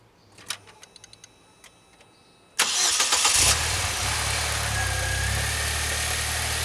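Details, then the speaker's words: 2006 Saab 9-3 2.0t, cold start at cold gauge mark just after new spark plugs, idling a little over 1,000 RPM: catches and settles into slightly uneven idle with a faint stumble; owner wonders if a leaking tube seal contributes, unconfirmed. "It's running a little over 1,000 RPM. It stumbled a little bit, but now that I know that tube seal's leaking, I wonder if that has something to do with it."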